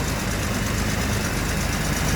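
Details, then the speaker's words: 1973 Daimler Sovereign Series 1 (Jaguar XJ6) 4.2 straight-six, first cold start after sitting since Christmas: steady, even low idle with no knocks or misses, starting to come down as it warms; normal cold-start idle settling. "a little starting to go down a little I think she's got the warmup"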